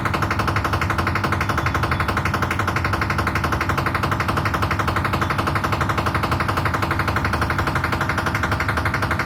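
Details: IFB Aqua 10 kg washing machine: loud, relentless, very even hammering at about three blows a second, a heavy repetitive bang from an unclear source.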